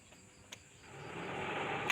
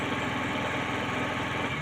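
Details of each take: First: Suzuki Forsa with reported high fuel use and ignition leakage, after ignition work: cranks, catches and settles to smooth, even idle without misfire; running clean. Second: Suzuki Forsa with points-type distributor, high fuel use and suspected spark leakage from coil or distributor to plug wires: uneven lumpy idle dropping pulses, as if one plug is dead. Rough idle misfire.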